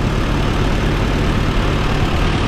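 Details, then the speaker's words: 68-year-old tractor that sat for years, with a stuck valve and antifreeze found in the oil, after running for about half an hour: a loud, even low rumble with no knock or tick. The valve cover gasket appears to be leaking. "Well, she's been running for about a half hour now. Everything still sounds good."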